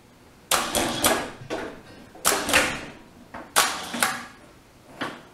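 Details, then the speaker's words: Wrightway hoist after repair, lowering then lifting a MIG welder as load: sharp crisp brake clicks in short bursts every second or two; brake engaging cleanly, working fine. "put a little load on it how about that hear that brake clicking up there she's working fine"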